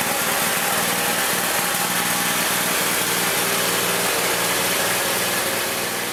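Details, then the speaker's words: Old Murray riding mower, single-cylinder, restored after engine wouldn't run right, mowing grass: steady governed buzz under load with no misses or knocks; runs healthy after repair. "Eureka! It works. My free mower that I'm into for about $100 works great."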